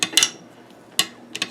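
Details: Swiss K31 receiver, cleaned and lubed at bolt, bolt sleeve, op rod and bolt plug, dry run: light crisp metal clicks in quick pairs as the bolt cycles, no scraping or grating. A smooth, healthy action.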